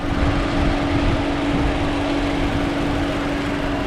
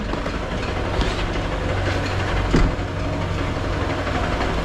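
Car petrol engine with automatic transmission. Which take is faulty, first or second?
second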